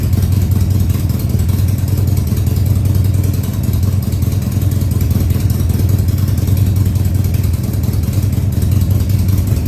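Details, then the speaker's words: 2000 Harley-Davidson Sportster 1200 Custom, first start after six years sitting: after several throttle-held runs, a steady, even V-twin burble at raised idle with no misses, knocks or rattles; oil tank then checked full. "okay i've run it a few times here with the throttle keeping it running and now i'm going to try i'm going to try starting it and getting it to idle for you maybe high idle for now"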